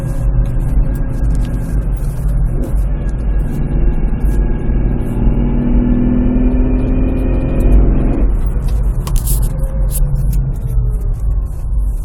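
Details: Nissan Pathfinder: odd noise from the transmission area, only when the engine is cold, gone after about 5-10 minutes; low droning rumble with faint rising tone cutting off sharply. Owner suspects flywheel bearing, not confirmed.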